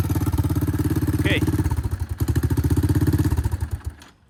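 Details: 1984 Honda ATC 200 three-wheeler single-cylinder engine idling during oil service to recheck the oil level; even, steady thump of about ten beats a second before being switched off, sounds normal.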